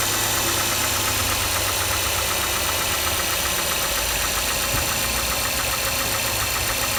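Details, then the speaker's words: Mazda 6 MPS engine knocking at idle up to 1500 rpm, quiet above that; light, fast somewhat uneven tapping about four per second over idle; cause unknown. "так проблема в следующем здравствуйте значит двигатель постукивает на холостых оборотах до полутора тысяч"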